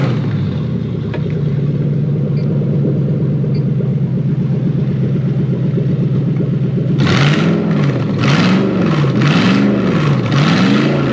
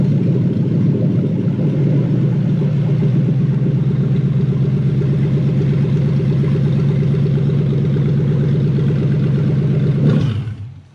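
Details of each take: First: Hilux 4x4 converted to a Toyota 3UZ V8, after jumping 12 V to the airflow meter and clearing codes: even idle, then quick rev blips that rise and fall cleanly; normal start and rev. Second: Toyota 3UZ V8 swapped into a 2005-2015 Hilux 4x4 (engine from a JDM Celsior) on a conversion loom. Runs steady with a low even thrum and some uneven clatter, then shuts off. Airflow meter fault because its circuit is unconnected with no 12 V supply.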